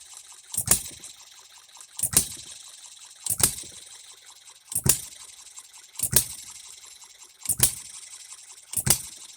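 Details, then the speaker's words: Economy hit-and-miss engine running after a new piston and a third set of rings fixed its lack of compression. Sharp firing bangs about every 1.3 seconds with quiet coasting between, a steady even rhythm. Running properly, no cooling water yet, rings still seating. "the learning curve on my end was pretty good size but uh here we go it's a running engine"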